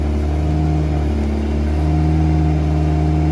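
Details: Eagle Talon (SRT4 Eclipse-type 420A engine) on MegaSquirt ECU, finally running after the computer was found not built for a 420A. Strong, even note holding firm through light revving, no misses or knocks: normal running.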